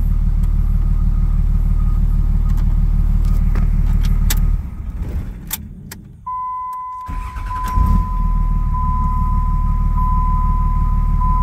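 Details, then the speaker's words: 2004.5 Ram 3500 diesel with new starter fitted; steady low idle clatter, brief pause, then fires quickly and settles evenly, starting much faster than before; normal diesel start and idle. "New starter on the truck. Fires up faster. Much faster."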